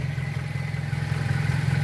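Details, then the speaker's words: Pointer 1.8 with the terminals for a missing part jumped by a wire: low, steady hum with even pulses and no hunting. The idle has stabilized after the earlier shaking. "Hay mejora bastante, hasta se oye el motor cómo se estabiliza."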